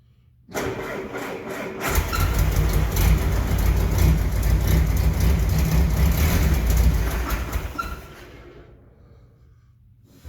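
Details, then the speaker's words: 1968 M151A1 military jeep needing a fuel pump and carburettor rebuild: engine cranks, catches and runs roughly for a few seconds, then dies. No fuel reached the line, so the owner suspects a loss of pump suction; cause not confirmed. "it was running for for a good second or two and I had no fuel in this line just zero"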